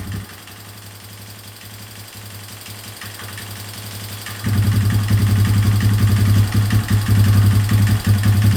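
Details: 2003 Yamaha Wolverine quad after fuel leak work, with inline fuel filter and temporary fuel setup: smooth regular low putter that picks up cleanly at about half throttle; normal running.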